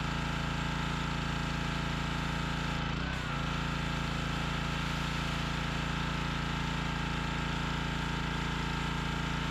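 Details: Workforce pressure washer, 163 cc overhead-valve engine, after a no-start repair, on fresh gas with water connected in the high 30s °F: a regular thump of about three per second holds steady without stalling or surging. Normal running.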